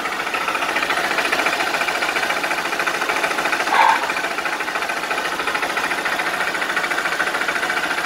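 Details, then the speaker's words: Honda Bros 160 motorcycle at idle: fast, dry, hard knocking, abnormal beyond this engine's usual valve noise. "Mano esse motor 160 já é barulhento tá ligado mas esse barulho assim batendo seco desse jeito não é não é normal não tá ligado rapaziada"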